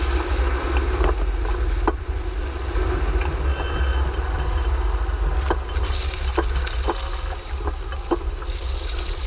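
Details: Subaru Forester XT SG manual, 138k: sharp, irregular clunks from the front nearside suspension while rolling slowly, over low wind and road rumble; clutch creak also audible, cause of clunk unknown.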